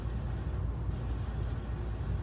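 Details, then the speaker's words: 1985 52-inch Fasco Charleston ceiling fan running at medium speed with a steady, rough low rumble; very worn motor bearings, louder in reverse, plus a flywheel that vibrates and wobbles at higher speeds. "so here's medium yeah the bearings are super loud"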